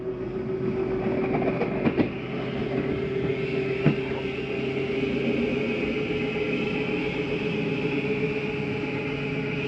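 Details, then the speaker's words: 2023 Flagstaff Superlite 29RBSD travel trailer, bedroom slide-out retracting: a steady motor drone with brief clunks. The grinding-like noise is the mechanism signalling it is fully in, which is normal and not a fault. "I wanted you to hear that noise going in or out. That's just the slide mechanism saying that it's in all the way. Sounds like a grinding noise, but that is not the issue."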